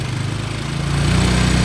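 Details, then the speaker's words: Honda Karisma motorcycle, throttle raised to fast idle before setting the idle screw: rises slightly and steadies with an even beat, running cleanly with no misfire. "nah ini setelan langsamnya bisa ya Bisa kecil ini kalau mau nyetel itu gini dulu guys dibesarin dulu"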